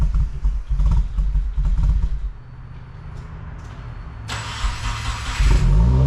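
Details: 2015–2021 Subaru WRX FA20 first start after engine rebuild, six months off, fresh oil and 93 fuel, new tune: catches and settles into a deep steady burble, no knocks or ticks; an oil cooler fitting leak was found at first start.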